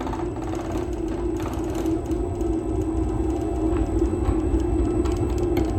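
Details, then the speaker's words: Honey extractor on a newly built wheeled stand, brakes off, empty, switched on at half speed: the motor spins up to a smooth, steady hum with a light rhythmic rattle, which is the vibration making the noise. "That vibration you can hear is just that. That's what's making the noise at the moment."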